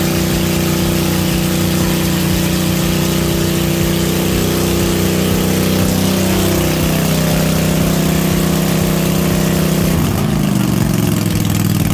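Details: Cub Cadet RZT-50 zero-turn mower, revived after years unused, crankshaft seal replaced and freeze-damaged carburetor swapped for an aftermarket one: loud, steady engine running evenly, smooth speed change near the end, no misfires or surging; normal running.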